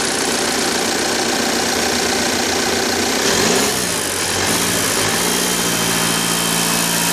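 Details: 2009 Audi A6 2.0 TDIe diesel idling: sharp metallic tapping over the clatter, apparently near the common-rail fuel rail; source unconfirmed, alternator also behaving oddly.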